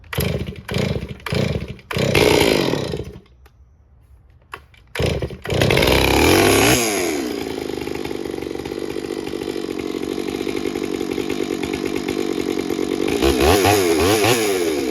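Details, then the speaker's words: Stihl MS461 chainsaw, cold start on full choke: several starter pulls, then it runs with a rough, uneven clackety clatter; tink-tink ticking heard earlier, suspected out of squish with the piston making contact, not confirmed. "Then I heard tink, tink, tink, tink, tink, and it almost sounded like it was out of squish, you know, where the piston was actually making contact."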